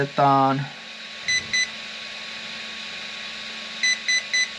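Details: Robitronic Razer brushless combo ESC being installed in an Absima AMT3.4 RC car, power switched on with the set button held: a rising start-up tune, a pair of beeps, then three sharp beeps as the speed controller enters programming mode.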